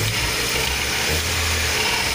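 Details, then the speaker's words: VW Santana AP engine, 1AVB injection, after fixing carbonized O2 sensor, throttle position and ignition timing that had been set without short plug following recent head job, which caused hunting: engine picks up cleanly under throttle, even note, no more oscillation; running smooth. "Enfim, foi feito os acertos aqui, o carro tá redondinho agora, está funcionando bem bacana mesmo. Posso acelerar aqui que ele"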